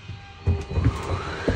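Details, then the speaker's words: Winnebago Micro Minnie slide-out after a click: a low, even motor drone rising slightly in pitch. Two motors, one per side, run the slide all the way out and in, held 3–5 seconds to synchronize, with no weight on the bed. Normal operation. "There's 2 motors, one on each side. So you want to let this go all the way out, all the way in, and hold it for 3 seconds, 5 seconds to let the motor synchronize."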